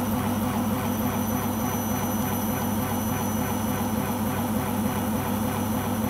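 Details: Beko washing machine on its last legs: loud, steady roar with a fast rumbling throb through the spin; owner suspects the rubber behind the drum, cause unconfirmed.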